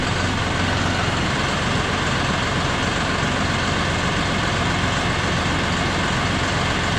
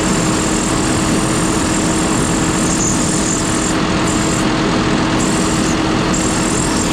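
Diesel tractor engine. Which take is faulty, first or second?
second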